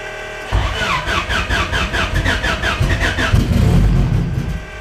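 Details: GSR turbo race car, first start-up on a new coil-on-plug setup with Skunk2 Pro1 cams: engine catches sharply, revs rise and fall cleanly with even firing, no knocks or misses; oil pressure rising. Normal cold start and rev.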